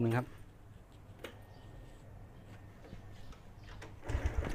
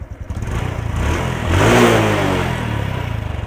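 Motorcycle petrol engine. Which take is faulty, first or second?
first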